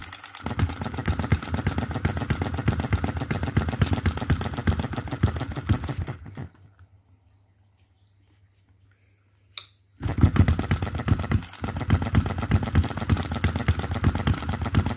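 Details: 2022 Enjomor Chinese hit-and-miss engine after piston ring replacement, valve timing correction and governor latch spring mod: quick even firing beats, then quiet coasting, then resuming; normal steady hit-and-miss running.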